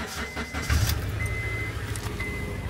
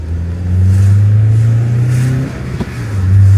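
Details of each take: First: Honda CL9 (Euro) petrol engine idling, heard from the exhaust: a lumpy, uneven beat; the scan tool reports a cylinder 3 misfire and an exhaust leak sound was suspected; the owner plans to replace the spark plugs (BKR7E) and hopes the coil packs are fine. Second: Honda CL9 after the faulty coil pack on cylinder 3 was replaced and new BKR7E spark plugs fitted, following a misfire first mistaken for an exhaust leak: a strong, even note revving twice with no stumble. Normal running.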